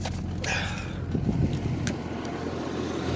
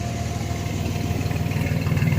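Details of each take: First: 1994 Chevy S10 Blazer 4x4 4.3 V6 with 190,000 miles, just started; lumpy wavering idle about four pulses a second, rising and dipping, not smooth; voltmeter showing high charging voltage (19 volts, later almost 15) despite charged battery. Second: 1994 Chevy S10 Blazer 4x4 4.3 V6 with 190,000 miles; even low exhaust pulses at steady idle swelling slightly near the end, no misses or knocks; running healthy and driving good, with only steering play and ABS light issues noted.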